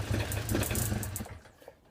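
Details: Peugeot Speedfight two-stroke moped, kick-started after fixing a no-spark CDI wiring fault: buzzy popping catches and runs about a second then fades, engine fires and runs again.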